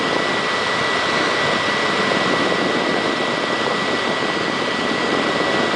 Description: My Xbox 360 makes a loud fans noises